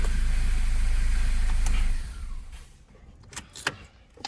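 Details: 2012 Ford Focus after engine swap, fixed no-crank no-start traced to transmission/gear selector not reading park: engine settles into a smooth steady low idle with no misses or knocks, then handling noise; runs normally.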